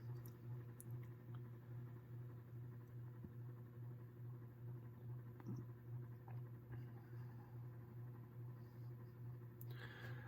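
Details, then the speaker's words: New-old-stock 1989 Encon Premier Deluxe 36-inch ceiling fan on medium: quiet hum with a soft steady pitter-patter, about two ticks a second, from bearings dry after 30+ years dormant. "the bearings make a little noise as well from being sitting dormant for 30 plus years that's to be expected [Music] you can really hear the bearings kind of make that pitter-pattering sound on medium here"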